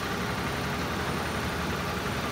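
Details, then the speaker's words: 1987 Ford Ranger, 2.9L six-cylinder, 94,000 miles, after a TFI repair, with the throttle adjusted to raise the idle: a raised, slightly wavering low rumble, still a bit rough; owner suspects bad gas or a needed tune-up. "might need a tune-up i think it's got some bad gas in it he's going to adjust the throttle a little bit get the idle up"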